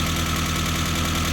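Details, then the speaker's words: Mazda Miata 1.6 at idle just after cleaning the hydraulic lifters and retiming the timing belt (timing possibly slightly off): quick, light ticking expected until the lifters fill with oil. "So it should tick like this for a while until the lifters fill up."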